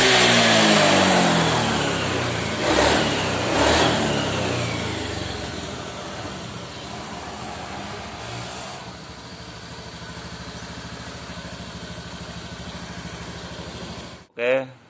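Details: Honda Vario 110 FI that kept stalling with MIL code 52, after replacing the ACG starter and resetting, code cleared: blips, then holds a steady, even idle with a regular beat, no misses, knocks or stalling. Normal.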